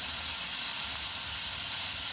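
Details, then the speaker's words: Compressed air pushing the last water out of the thermostatic shower valve while winterizing a 2021–2024 Winnebago Revel fitted with the HydroLink plumbing panel; constant high airy hiss with faint sputter, line now spitting, purge done. "And as you can see, we're just getting it spitting out right now. And so that is done."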